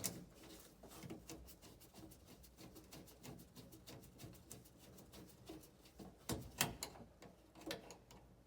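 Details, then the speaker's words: Heating zone valve (2-port) with new replacement motor head, fitted because the old motor caused no hot water: quiet light ticking and soft mechanical clicks at an irregular pace, nothing harsh; works fine, unlike the silent old motor. "so straight away that sounds much better to me the old model did not sound the footage at all"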